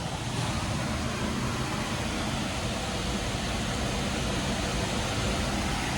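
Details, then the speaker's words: Liebert unit blower in a server room, after belt tension service: steady, even rush of air with a smooth low hum, no squeal or slapping; airflow rose from about 1106 to 2094 feet per minute, normal blower operation. "Now, getting a lot of airflow in here. You can obviously hear a difference."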